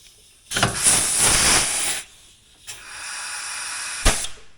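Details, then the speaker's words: Kenworth 15-speed transmission shifting: two sharp air hisses of a second or more, air blowing past a cracked range shift piston and its O-ring to exhaust. Air leak past range shift piston. "it shifts but you hear that air that air that's blowing by there is actually [Music] causing the leak so either way this piston goes it'll leak past it"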